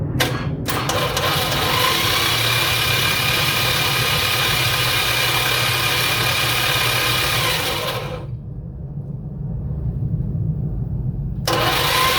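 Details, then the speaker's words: 1985 Dodge D150 Magnum 408 engine in frame, spark plugs out, oil added, starter jumped at solenoid: rough harsh whirring crank about three and a half beats a second, engine spins freely; noisy worn starter motor. "Alright, so she spins over. That's half the battle right there. Boy, that old starter sounds horrible, don't it?"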